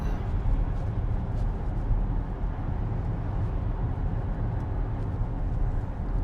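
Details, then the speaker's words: 4th-gen Acura MDX with brand-new transmission after failure at 40,000 km, highway cruise around 78–80 km/h: only steady road and wind rumble, very quiet, no whine from the gearbox, healthy. "Everybody's passing me here. 80. As you guys can hear, very quiet."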